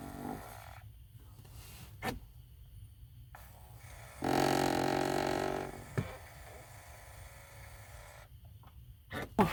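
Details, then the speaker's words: 2013 Chevy Impala, passenger-side AC blend door actuator after reinstalling and plugging it in (vents had blown cold regardless of setting): quiet cabin, then a short steady motor whir under two seconds as it drives the door; working normally. "all right so the one's working now yeah definitely making some noise"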